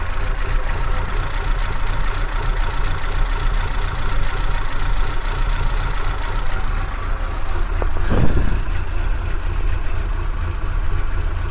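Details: Kia Pride engine idling with abnormal shaking: low, uneven, lumpy idle with a brief rise near eight seconds; rough idle, cause unknown.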